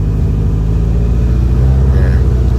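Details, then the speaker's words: AE86 Corolla with a BEAMS 3SGE engine just cranked up. A loud steady drone with no hunting, idling too high at around 2000 rpm. "it's got a bit of a weird idle thing at the moment [Music] where it wants to idle around 2000 rpm"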